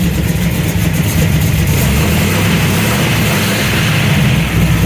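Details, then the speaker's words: Drag truck V8 at idle after installing a new carburetor replacing an Edelbrock; fuel pressure just above 6, float level slightly high; deep, steady lumpy idle with no stumble or miss, runs way better than before. "good. Runs way better than my Edelbrock did, but that carb just wasn't set up right for this."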